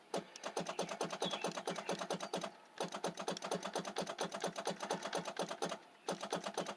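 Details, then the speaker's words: 1994 Oldsmobile 88, possibly hydrolocked: rapid solenoid clicking in three bursts with no engine turning over; no crank, no start. Starter solenoid clicking suspected, bad battery connection considered unlikely. "I don't know where that starter solenoid is but I just hear it clicking starter solenoid"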